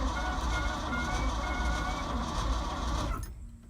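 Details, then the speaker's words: Ford F-600 truck being revived, cranked on a connected battery: quick, even cranking at about three to four turns a second that stops cleanly; the engine turns over healthily. "spins over sounds healthy too I say pretty healthy"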